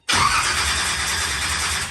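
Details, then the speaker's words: Swamp Thing, ignition problem, engine checked not locked: harsh, steady whirring crank on the starter for about 3 seconds, not firing, chuffing fumes while building oil pressure (reaches 20 psi) before fuel added; cranking without starting. "do it for about 3 seconds you can see it's chuffing out some fumes right um do it again three 3 seconds right now do it till it builds some oil pressure up"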